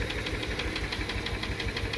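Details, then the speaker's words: Subaru Tribeca 3.0 with a metallic engine knock, possibly bearing wear, during an on-site hydrogen carbon cleaning. A sharp, regular metallic tapping at about eight per second rides over the idle; the knock began fading after about 15 minutes. "Водородная очистка на выезде. Чистим Subaru Tribeca. Появился какой-то стук."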